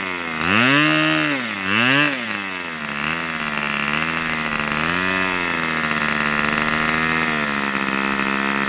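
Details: Customer's Fox twin-cylinder glow model engine on outdoor test run, glow igniter left on: two quick blips, then steady high even buzz holding speed without sag or misses; running healthy after earlier die-out.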